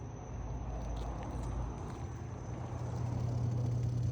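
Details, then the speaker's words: Frigidaire dishwasher, previously discarded for a stuck pressure sensor and a leak, being tested with start pressed and door closed: a low, steady hum settling into an even drone, no rattles or grinding. The pump runs normally. "Yep. Pump is on."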